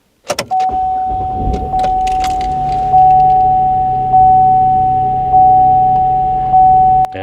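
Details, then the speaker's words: GMC Acadia that choked on startup, after cleaning the oil-clogged air intake and oil lid: engine catches and settles into a steady idle with an even hum and faint constant whine; starts clean and runs smooth. "it sounds better. But yeah, that's all you got to do, guys."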